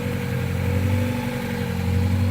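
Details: 5th-gen (1997-2001) Honda Prelude after power steering belt replacement: steady, even low idle with a smooth hum and no chirp or squeal; new belt installed correctly and runs quietly.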